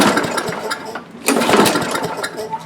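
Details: Tecumseh-powered Craftsman lawn mower that won't start or stay running: uneven, sputtering bursts of firing that surge and fade instead of settling into a steady run; dirt in the carburetor bowl and jet. Clogged carburetor main jet.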